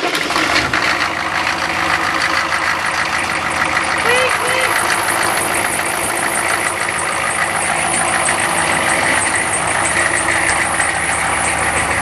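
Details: Diesel engine after replacing glow plugs (only two of six/eight were working before): catches quickly and settles into a steady, even diesel clatter with no misfire or stumble; normal start and idle.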